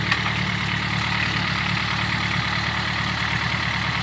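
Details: Fuel-injected car that had high idle rpm, after replacing the PCV valve: even, steady idle with a smooth low throb and light hiss, no hunting or surging, normal idle speed restored.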